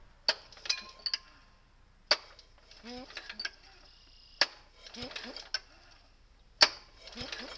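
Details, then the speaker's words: Kohler engine on a tractor, recoil starter after realignment. Four pulls, each with a sharp catch and smooth ratchet and rewind, no skipped teeth; it engages properly. "That sounds good. Doesn't skip a tooth. It sounds like it's supposed to."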